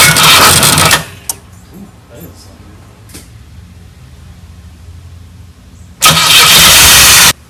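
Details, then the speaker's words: 1984 Pontiac Fiero, first start attempt after 30 years parked: two bursts of starter cranking and the engine never catches. No fuel is coming from the tank and the pump is not heard running; owner suspects a dead fuel pump or a fuse. "we got no fuel coming from the tank, and most likely the fuel pump's dead, but there's a fuse somewhere."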